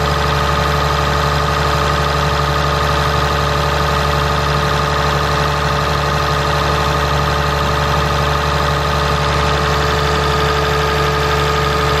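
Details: 2017 Ram 3500 pickup, 6.7 Cummins diesel, idling after water pump replacement and coolant refill: steady, even idle with a constant low rumble and no knocks or ticks; engine running normally.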